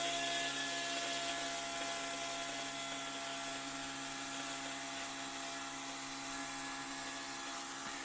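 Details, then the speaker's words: 2002 6.0L LS drive-by-cable engine, electric fuel pump run alone to check for leaks: steady high whirring hum with faint fuel rushing through the crossover tube; pump running normally, no leaks found. "I can hear the fuel going through the crossover tube."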